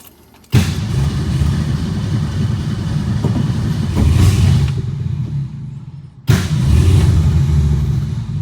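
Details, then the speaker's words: 1962 Ford Falcon, carburetor with manual choke, electric fuel pump, tank low: two bursts of rough, uneven turning-over that rumble briefly and fade without catching; can't get fuel, engine won't stay running from fuel starvation. "Can't get fuel."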